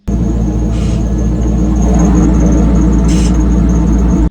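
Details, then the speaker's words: LS-swapped BMW E30 running with the clutch pedal pressed fully down. Heavy engine rumble with a harsh, rough rasp as the slave cylinder pushes the clutch fork into the spinning pressure plate; the fault traced back to the adapter installation. "with my slave push in the clutch fork and the clutch fork hitting the pressure plate obviously bad juju beats when he would hit the pressure plate while the car was running in the pressure plate was like spending and all that good jazz it make this noise"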